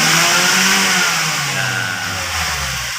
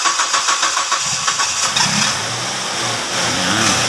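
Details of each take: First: Ford Escape that had low power and hard starting, with a fuel pump replacement involved: engine pitch climbs cleanly and falls back smoothly with no stumble or hesitation. It revs normally. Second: Ford Escape with low power and hard start, fuel pump to be replaced: long cranking with steady whirring beats before it catches, then a rough hunting idle. Hard start, fuel delivery suspected.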